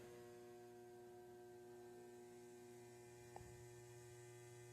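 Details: DIY 120 V one-to-one isolation transformer: at about 110–112 V the input draws about 1–2 A and it hums, a loud steady mains-pitch buzz with a bright edge; owner suspects core saturation and may add windings.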